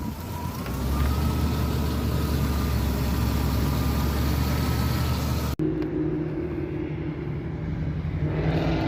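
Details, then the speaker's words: Jeep Comanche (MJ) during alternator test, high beams and blower on: engine revs up and holds smoothly under electrical load, no knock, slip or squeal; alternator tested fine, battery low from not being driven. "Man, with the high beams and the blower motor on, you can tell it's like loaded down, man. Rev engine with loads on."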